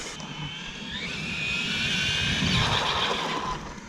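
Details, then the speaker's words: Hobao 8SC RC car in track setup on a parking lot, with the ABS braking option turned on for the first time; high electric motor whine rising and falling, and a quick stuttering "fou fou fou" pulse on braking. "J'ai mis l'ABS. Si tu l'entends quand je freine, elle fait fou fou fou fou fou."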